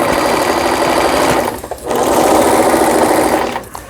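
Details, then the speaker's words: Brother PC15 home sewing machine, about 20 years old and unused about 10 years, after repair of the feed regulator, thread guide and stuck pattern mechanism: even steady whir, pausing briefly then resuming, no knocks; running smoothly. "예, 보시는 바와 같이, 예, 정상적으로 박음질이 돼서 나오는 브라더 미싱의 PC15라는 기계."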